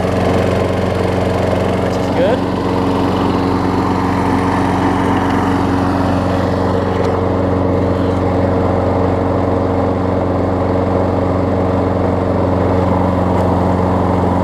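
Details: Craftsman self-propelled mower after new pull rope, spark plug and air filter, started first pull: steady, even drone with a firm low hum at constant speed, never stumbling; healthy engine.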